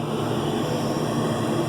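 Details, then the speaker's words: York gas pack furnace calling for heat, with the igniter assembly wrongly condemned; the inducer hums steadily with no spark ticking, no gas and no burner whoosh because the plugged pressure switch port keeps the switch open. "there is no spark you don't hear any sparking going on there but it would also be putting out gas at the same time so when I pulled that door off I should have got a nice smooth full of gas and I'm just not getting it"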